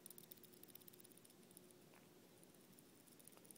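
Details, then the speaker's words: Les Paul Tune-o-matic bridge causing string buzz, removed and shaken close to the mic: faint quick metallic ticking of loose saddles rattling in their slots. "and if i shake this you can hear the loose saddles in it getting that cup close to the camera so you can really hear it"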